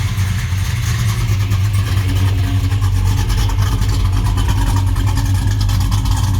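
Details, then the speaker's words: 1967 Chevelle SS with 416 LSX V8: deep lumpy idle with periodic exhaust dropouts, cylinder #5 misfiring after an aftermarket MSD plug wire burned on the headers; runs better with a temporary 2008 Escalade plug wire. "why I hate aftermarket wires. You can't bend them, you can't make them right. So burn that one up, now it runs better."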